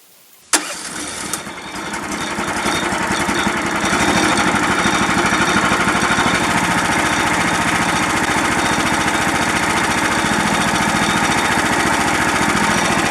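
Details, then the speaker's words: 13.5 HP Briggs engine after its carburetor passage was cleared with an ultrasonic parts washer: starts at once and idles steadily, without the previous surging or dying. "well, that's encouraging because it doesn't have that surge, the surge like it was doing, and it's not dying."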